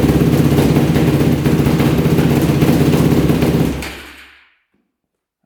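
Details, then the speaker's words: Modded Yamaha YFZ450 race quad after adding oil, started on electric start with choke via jumper pack; deep, even thumping about four beats a second after idle turned up and fuel screw turned in, pilot slightly rich; normal idle. "right there we go that sounds better so it looks like um we're probably just a little bit rich in the pilot that's why it's having a hard time idling"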